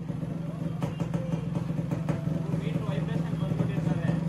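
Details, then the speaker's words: Yamaha RX two-stroke motorcycle, riding: two-stroke thrum with uneven loose metallic clatter caused by vibration; cause not confirmed. "ಗಾಡಿ ಓಡಿಸಿದ್ರೆ ಗಲಗಲಗಲ ಅಂತದೆ,"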